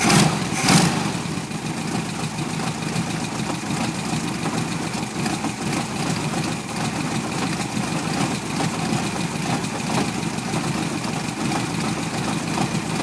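Air-cooled flat-four idling with an uneven, loping beat and irregular stumbles, no steady rhythm; a rough idle, cause not yet pinned down.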